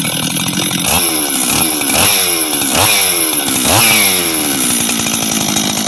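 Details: Husqvarna 385 chainsaw, first start after reassembly, first heat cycles: crisp clean blips up and back to steady idle, revving freely and settling evenly; throttle response good, idle good — normal idle and rev.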